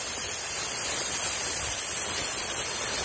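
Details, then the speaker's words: New minisplit air conditioner being installed: the lines are purged by holding the service-port pivot pressed while opening the valve with a 5 mm Allen key, for about 20 seconds. A steady, even airy hiss with no pulsing or pitch change, a normal purge. "Voy a purgar, voy a presionar, lo voy a mantener presionado, y al mismo tiempo que está presionado voy a abrir la llave. Como pueden ver, al abrir la llave sale el aire por donde tengo presionado"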